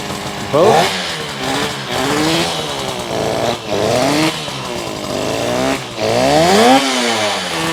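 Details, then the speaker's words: 1972 Yamaha LS2 100cc two-stroke twin, 784 miles, first run after carb clean on 6-volt system with auxiliary tank, no air box: crisp buzz rising and falling with throttle blips, picking up cleanly, good idle. "Yes, yes, yes, yes, yes, we did it. It's idling. Sounds pretty good."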